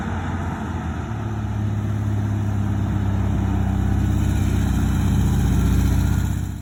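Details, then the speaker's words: 1971 VW sandrail, freshly rebuilt flat-four, basically stock 1679 cc with 80 mm pistons, progressive linkage: even, throaty beat rising smoothly in pitch with no knocks or misses; runs smooth with good power. "runs super good run it down the street nice and smooth good power real sharp little sand rail"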